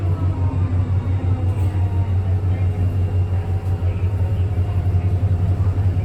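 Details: STM 37-021 on the 171: deep, steady rumble with a throbbing pulse near three beats a second under the engine drone; odd noise, source not pinned down.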